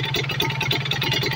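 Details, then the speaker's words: Kawasaki Ninja RR two-stroke after carburettor and reed membrane service: engine held at high rpm while the air screw is turned to find the highest revs, steady crisp even buzz, no misses; carburettor tuning in progress. "Nah untuk cara setting karbunya ini RPM kita tinggiin dulu Mas atau gasnya kita tahan di RPM tinggi ya lalu ini settingan anginnya kita putar-putar dan kita cari RPM yang paling tinggi ya"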